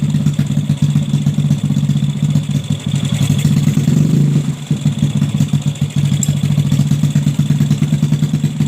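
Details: Bore-up Yamaha Jupiter Z single with PE 26 carburetor, after widening the carb hole to cure fuel-starved hesitation: even steady idle thump, then a clean rev blip rising and settling without stumbling; carburetion right.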